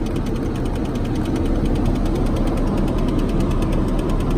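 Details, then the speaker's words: Cadillac running: steady ticking, about three clicks a second, from inside the dash. Blend door actuator box broken internally; blend door actuator clicking. "anyway as you heard by the clicking the blend board box is bad inside the - it's a weenie he wants that fixed"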